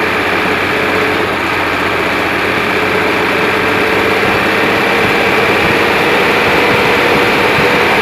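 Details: Hino Euro diesel truck at idle, heard at the silencer/tailpipe: steady chuff about four per second, a "chup-chup" sound like valve seats; misfire improved after checks but noise remains, leaking valve seats suspected.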